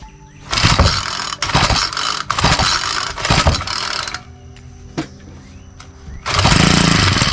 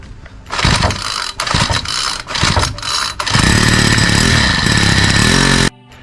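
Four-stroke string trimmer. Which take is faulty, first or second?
first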